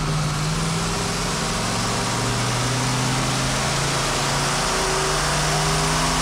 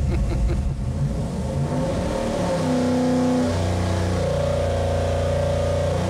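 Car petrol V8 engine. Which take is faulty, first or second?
first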